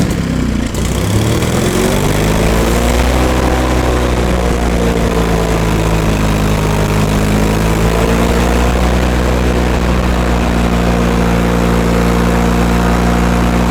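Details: Miller Trailblazer 250 welder generator after valve job and carburetor refit. A smooth, steady, fairly high drone holds at 3900 rpm (probably should be about 3600) and never drops to idle when switched. Possible electrical cause, suspected only.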